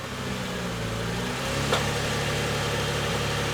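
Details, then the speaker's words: 2000 Lexus ES300 V6, reportedly dead transmission: engine idles evenly, tone drops as selector moves, then one sharp pop shifting into reverse; wheels don't turn in gear, fluid black with metal debris. "I heard a popping noise."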